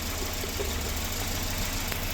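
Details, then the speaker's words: Volvo B230 redblock after head gasket replacement, valves adjusted: low, even idle hum with no tapping or ticking from the valvetrain; quiet, smooth-running engine. "No, but listen how quiet that engine is. Just with those valve hushers and everything adjusted right, they can run so smoothly."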